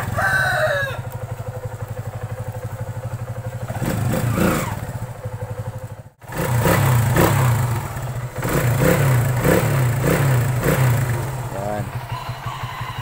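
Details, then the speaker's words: Kawasaki Aura Nexus motorcycle idling after a DIY fix of its loose clutch housing rubber damper, which had caused loud clattering: steady, even low idle with regular firing pulses and no clutch-side clatter, rooster in background. Normal idle. "Ngayon ay okay na."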